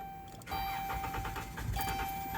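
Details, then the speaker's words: 2013 Dodge Caravan hard start: starter cranks steadily, engine catches briefly but won't keep running; caused by failed fuel pump relay integrated in TPMS unit, fixed with relay bypass. "in this case i'm working on a 2013 dodge caravan and you're having hard starts like this cut to that clip eric"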